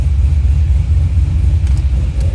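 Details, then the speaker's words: C6 Corvette Z06 with Akrapovic dual-mode catback, cold start, exhaust valves closed: steady even V8 idle, quieter and more raspy, fewer low tones; nothing irregular heard. "you can hear the valves closed [Music] let me get back there that does quiet it down quite a bit it makes it sound a little more raspy gets rid of a lot of the low tones that you feel in your chest all the time"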